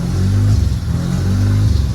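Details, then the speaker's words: Mazda RX-7 rotary engine after sitting over 2 years not running, fires first go once an unplugged black connector is plugged in; low smooth rotary burble at steady idle with slight rise and fall, no stumbling; searches for idle until warmed up. "As soon as I plugged that in, she fired up first go. So it definitely does run now. Sounds amazing. I love the sound of the rotary engines."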